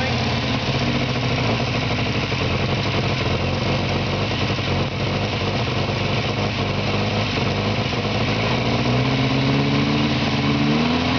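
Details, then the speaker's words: 1949 Morris Minor low-light, long stored in a barn, first start on cold-start spray with fuel only in the carburettor: uneven stumbling idle with missed firings, running lean as the float chamber empties; smoke is oil sprayed on the exhaust manifold. "all that smoke just the oil that we sprayed over the exhaust manifold to stop it rusting and it's misfiring a bit and it's getting a bit lean cuz we're running out of Petrol in the float chamber"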